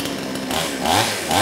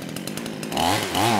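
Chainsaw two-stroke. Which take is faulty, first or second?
second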